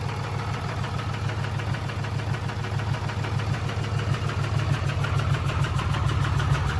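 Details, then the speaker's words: 2008 Dodge Ram 3500 6.7 Cummins diesel, bought as no-start, first start after priming fuel to rails: low lumpy idle, uneven about three pulses a second, never smooths; no smoke, has oil pressure, possibly not charging. "Oh, it's running. Does not sound good."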